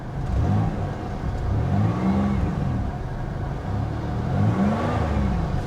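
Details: 1980s Pontiac Firebird V6, long-sitting abandoned car at auction: revs up and settles back smoothly a few times, pitch rising and falling cleanly with no misses or knocks; low coolant, otherwise running well.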